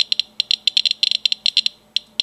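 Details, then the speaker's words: Geiger counter held to old radioactive glassware, mostly alpha emission: fast, irregular sharp clicks in clustered bursts, many per second over a quiet background; registering hundreds of counts per minute, a high count. "as you can see the Geer counter is registering hundreds of counts per"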